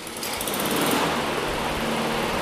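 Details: Honda self-propelled mower after cleaning and drive clutch cable adjustment (the actual fault): small engine fires and runs at a steady rattle-free buzz without misses or surging; healthy running.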